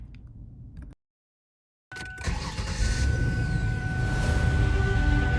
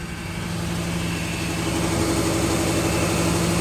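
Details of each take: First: Ford Taurus started after three years sitting, spark plug wires reordered (PCV elbow found broken): cranks, catches and settles into an even, steady idle with no obvious misfire. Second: Ford Taurus unused for about three years, old fuel, heavy smoke likely fogging oil: steady idle with a faint uneven stumble.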